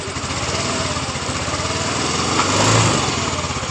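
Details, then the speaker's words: Yamaha Mio S scooter that had a rattling, sewing-machine-like engine noise after once running out of oil, after repair, listened from the right side: quick even putter with no ticking or rattle; normal idle. "jadi motor hidup dengan normal"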